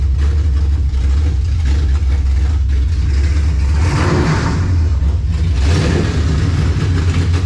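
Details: 1967 Dodge Charger V8 with 727 transmission, freshly back together, fire-up: deep even rumble with throttle blips rising and settling cleanly; normal running.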